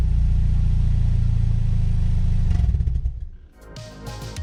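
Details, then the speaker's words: 2010 Mazda 6 GH, heard from the back of the car, briefly started with the exhaust removed during a bolt and seal kit job: loud, raw unmuffled bark with heavy low rumble through a brief rev. "straight pipe, without mufflers, how would the car sound like? Yes, here boys. This is for you all."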